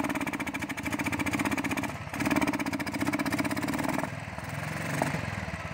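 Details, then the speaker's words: Royal Enfield Thunderbird 350, misfiring before and after recent service with new spark plugs and air filter: idle thump with dropped beats and uneven surges every couple of seconds, traced to carburettor butterfly, later replaced. Misfire at idle. "उसके meeting service से पहले भी meeting की problem थी और अब भी है"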